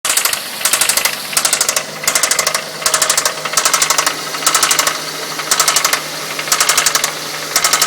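Idling four-cylinder with rapid bright ticking that comes in bursts roughly every second over a low steady hum. Cause suspected, not confirmed.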